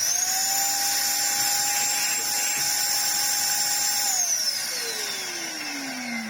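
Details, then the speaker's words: 2004 UDS Henry vacuum cleaner fitted with a random unknown replacement motor, not sealed properly; loud shrill steady high whine at constant pitch, then sinks as it spins down; harsh, rough-sounding motor, awful smell afterward. "oh that sounds horrible"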